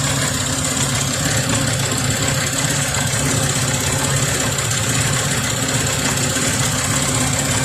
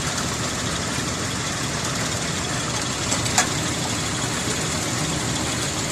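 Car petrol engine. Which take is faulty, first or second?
first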